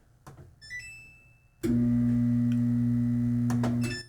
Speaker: yeah and you just hear a humming noise the drum doesn't turn just a humming noise is all we got